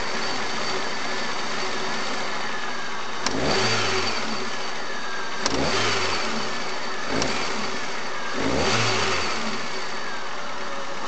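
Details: Chery Amulet engine: steady idle, then four sharp throttle blips each bring a hard clack at the start of the rise; knocks on sharp revving, excess vibration at idle, oil pressure light sometimes on when warm; cause unclear.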